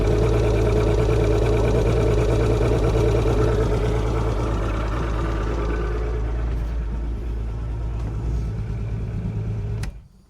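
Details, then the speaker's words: Mercury 150 outboard on a Wellcraft Sportsman 180, tested at the house before launching: fires right up to a steady low idle with an even beat, no misses or knocks. Normal idle; new plugs and fuel filter were still planned. "Sounds decent. For a Mercury, sounds decent."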